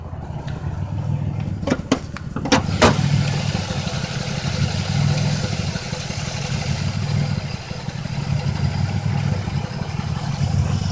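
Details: 2005 Chevrolet Impala 3800 V6 idling with uneven stumbling misfire rhythm, P0305 code; #5 spark plug, wire and injector already replaced without fixing it, cause unknown.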